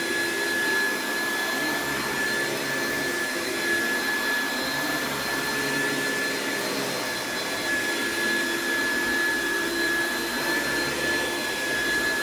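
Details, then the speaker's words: Classic Oreck upright with no height adjustment on carpet: steady motor roar with a constant high whistle, pitch sagging under load; the brush roll bogs down, wearing the belt and giving a slight burning smell. "you could hear it agitating as i pulled it back but the brush rolls just bog down on these and it causes a lot of wear and tear on the belts"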